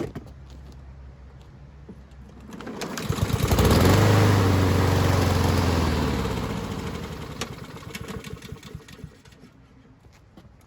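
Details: Husqvarna push mower pulled from the trash, old carb sprayed clean and reinstalled; engine fires and climbs to speed, then chugs lower and fades out when the self-propelled drive engages; stalls under load, fuel-starved from a clogged main carburetor jet.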